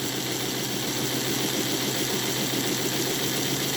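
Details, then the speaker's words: Model locomotive clone chassis, all 8 wheels pressed on, extended K5 tender, running at about 50% throttle: steady, even whir from the wheels with no gear grinding or whine; smooth, quiet running. "The gear noise is gone. The WW is gone. It's just hunkered down and flying is what I'm thinking."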